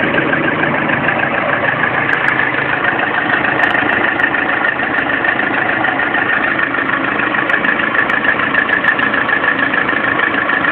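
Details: Lada Priora engine: warm idle with a fast, fairly even tapping about three per second over a steady hum; knock appeared at 400 km, only at idle when warm, now at 5000 km; engine knock at idle, cause unknown.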